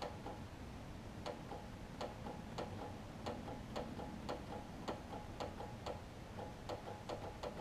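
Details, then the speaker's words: John Deere LT166 mower with starting issues: sharp even click about three times a second, no cranking; battery reads 12.4 volts, battery to be tested next, otherwise a new solenoid suspected. "i can hear it try to click which is more than what we had earlier let me try battery see if that's the issue and if it's not then we'll we might get a brand new solenoid"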